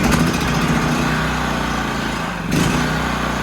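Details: Honda EB3000C generator after carburettor clean and rebuild: the engine catches and runs with a steady, even drone, dips briefly then recovers, so the carburettor seems to be feeding properly now.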